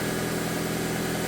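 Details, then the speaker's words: Engine first start after head work: a slight misfire clears and it settles into a steady, even idle with no misfires, taps or knocks, oil circulating; running well after repair. "Let's start it up. Here goes nothing. Oh, you know what? Let me turn this fan off so we can hear everything. I expect to misfire this ever so slightly. Clear itself out. It's running good now."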